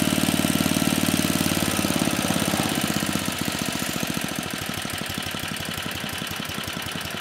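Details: Troy-Bilt Tuffy tiller (model 12060), 34-year-old Tecumseh H30-35387Y single-cylinder, once no compression, now running after repair on a clone carburetor still being tuned: fast at first, then a slower, slightly uneven beat settling toward idle.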